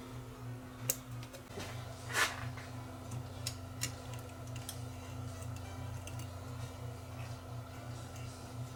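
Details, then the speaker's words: Mid-1970s Grundig TK747 reel-to-reel that was stuck at slow 1 7/8 ips, after motor rewiring and hub lubrication: even low motor drone with steady hum and a few light clicks at start-up; transport runs smoothly, normal. "that's got that back in place let's see if it turns on ah much better sounds much better to start"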